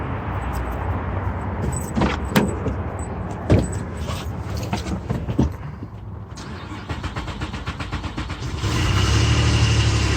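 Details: Car with crank-no-start from missing fuel pump relay, after refitting the relay: starter cranks briefly, engine catches and settles into a steady, even idle; starts cleanly now.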